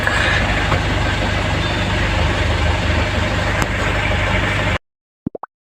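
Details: Ford Everest diesel that had a no-crank fault caused by the park sensor, started in neutral: settles into a steady, even idle with a soft regular beat and no knocks or misses, then is switched off. Normal idle.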